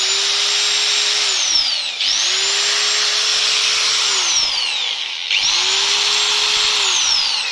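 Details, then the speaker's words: Angle grinder run with no load after its gearbox was re-greased: a high, even whine that sags, then climbs as the speed rises and oil distributes. Smooth, with no grinding or rattle, it sounds healthy. "Well, when you are already thoroughly now we just run it, listen, the engine begins to accelerate, that is, the oil is distributed to the right places"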